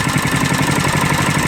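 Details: Coleman KT196 go-kart single-cylinder engine, neglected for years, on its first start after repairs with the governor removed, idling with a steady, even, quick putter and no knocks or misses.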